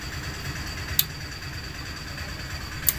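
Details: Inverter welding machine after repair replacing shunt and 1K resistor, powered up: even fan hum, faint high whine, two single relay clicks, no buzzing or crackle; display shows, starts normally.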